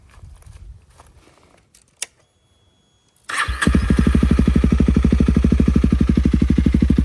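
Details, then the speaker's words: Honda CRF300L with a budget eBay aftermarket muffler, repacked with fiberglass and a few hundred miles later, recorded at idle about 4 ft from the exhaust. After a short crank it settles into a loud, blunt, even thumping idle of about three pulses per second. "So, we're probably 4T back from it. And that's just at idle."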